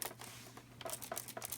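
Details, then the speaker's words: Panasonic FZ-10 3DO console, untested eBay unit, tipped over before teardown: light irregular clicks in short bursts, loose part rattling inside the case. "So, it sounds like something's rattling inside."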